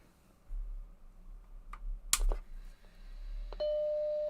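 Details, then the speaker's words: Macintosh SE with an Applied Engineering TW1340 board, first power-on test with no smoke from the RIFA capacitor; switch clunk, brief fan and drive noise, then a single clean startup chime, passing its power-on check. "Got chime."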